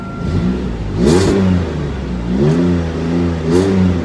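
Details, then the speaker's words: Pontiac G6 with a new Magnaflow exhaust, after fixing a whistle caused by a loose gasket and the flex pipe: three smooth rev blips with no whistle. Normal revving. "that is uh put a magnaflow exhaust on the old g6 here so it sounds a little uh sounds a lot better"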